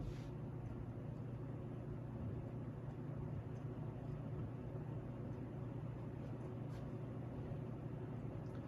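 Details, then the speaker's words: 36-inch CEC Georgian ceiling fan on test rig, running on high, repaired reverse switch: steady low motor drone with a faint rough whir; worn bearings audible and motor humming, otherwise works. "yeah there's medium you can start to hear the bearings now it's definitely got a motorhome too otherwise it works fine"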